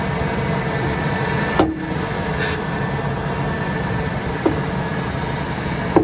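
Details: Ford F150 with the engine running: three sharp, irregular metallic clunks over a steady low rumble, caused by a loose lower control arm bolt.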